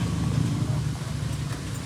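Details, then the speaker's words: Yamaha NMAX scooter with ABS fault: a steady low electric-motor drone as the ABS pump keeps running nonstop with the key off, and it stops when the key is turned on. "Continuous 'yung kanyang pag-andar. Agag pag binuksan mo 'yung susi mamamatay yung kanyang abs. Pero pag pinatay mo yung susi ito papatayin natin yan. Tuloy-tuloy yung kanyang pag-aandar."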